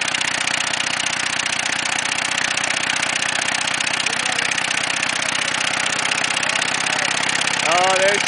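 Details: Ford Taurus engine running with no oil in the pan until it seized and stalled: steady idle with a hard, rapid metallic knock about four per second; rod knock from oil starvation.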